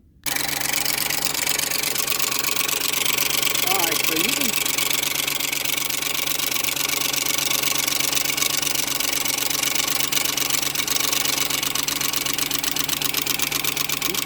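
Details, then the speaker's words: 2004 Ford F-350 5.4 Triton 2-valve V8 idling, passenger valve cover off: sharp steady tick about four per second, mostly quiets when the loose timing chain guide is lifted against the chain. Timing chain slap; chain, guides, tensioners need replacing. "all right I hope you catch the time when I pick up the chain guide and apply more pressure to the chain and the ticking noise one way by 75%"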